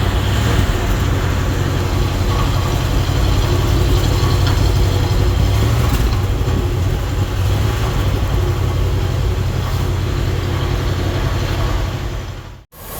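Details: Exhaust note at idle on a 1976 Cadillac Series 60 Fleetwood Brougham V8, first start after replacing the muffler and resonator: deep, even rumble with no rattles, ticks or puffing leaks; tight, healthy exhaust.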